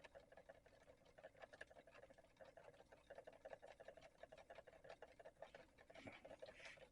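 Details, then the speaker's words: 3D-printed Ferris-wheel-rotor pulse motor on a Hall-sensor circuit, self-started. Faint, quick, regular ticking of about three pulses a second in a quiet room; spinning steadily with decent output. "yeah I'm getting some pretty decent output it's almost solid for me flashing for you guys"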